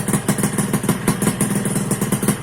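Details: 2001 Suzuki Satria two-stroke motorcycle running again after faulty right-hand on/off switch was found and bypassed: crisp even popping about seven beats a second, no misses or surging, healthy idle.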